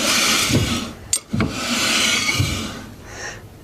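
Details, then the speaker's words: Toyota Hilux 2.8L diesel 4WD rear drum brake after rebuild with new wheel cylinder and bleed, adjuster turned clockwise; faint fine scrape as the drum is hand-turned, shoes just touching, adjustment about right. "As we turn this around, you'll hear a very fine little scrape. Once you uh hear that scrape, you're done."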